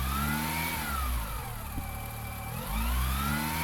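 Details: Car engine revving up and down: whining tone rising and falling with speed; possibly gearbox fault such as internal oil pressure leaks, not confirmed.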